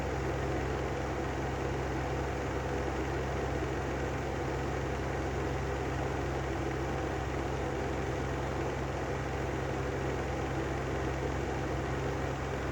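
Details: Brand-new Lanson style 3 exhaust fan running continuously: steady even rumble with low hum, no speed change; worn bad bearings.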